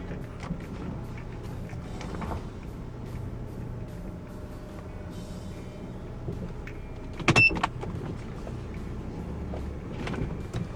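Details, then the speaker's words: Honda Odyssey RB1, over 386,000 km, idling after the power steering pump's fitting O-ring was taped with plumber's tape and lubricated: whine gone, only a low steady hum and handling clicks; reservoir bubbles gone. "The Whining is all gone let's go and check the reservoir bubbles are gone"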